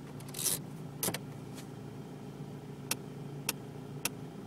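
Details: Opel Astra G 1.7 DTI: an intermittent knocking from the heater blower area, heard as sharp light knocks about twice a second after a lull in a quiet cabin. It occurs only under certain conditions, and the cause is suspected, not confirmed.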